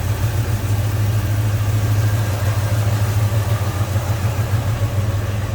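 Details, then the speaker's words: 1972 Pontiac Ventura Nova tribute, 350 V8 with headers, Edelbrock intake and carb, GI ignition, TH350 automatic, heard in the engine bay with hood open: deep steady rumble, even lope, no knocks or ticks; smooth normal idle. "GI ignition and smooth running V8 sounds good"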